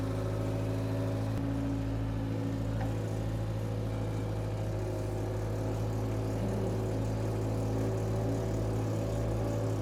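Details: Power Trac 1850 diesel tractor/mower, just revived after all fluids were changed, with the mower hooked up: a steady, low diesel clatter holding an even speed, with no misses or knocks. The tractor is running healthy.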